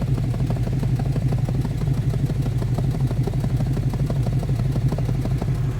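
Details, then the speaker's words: V8 on a winter cold start: lumpy, uneven idle with a stumbling beat, dead cylinder on passenger bank, gas smell, weak exhaust pulse there; owner suspects fouled plug or burned valve blowing compression; truck down on power. "She's definitely missing on that passenger side. Or maybe it's got a burned valve or something and it's blowing compression."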